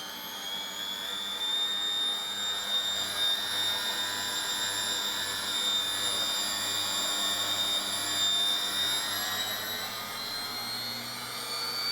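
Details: 1996 washing machine commutator motor after repair with new bearings and brushes: steady high-pitched whine over a low even hum, with no brush fire, rubbing or rattle; runs smoothly.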